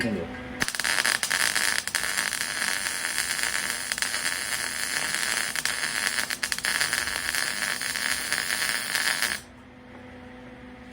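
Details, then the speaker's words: MIG welding with amperage set too low: harsh arc crackle broken by irregular sharp pops as the wire feeds in faster than it melts, bobbing and popping. "Now, I have a little bit of popping there. But if you get-- I give you that. If I had the temp amperage too low, I'm not-- the wire's coming in. I'm not melting it fast enough. And it just bobbing and popping."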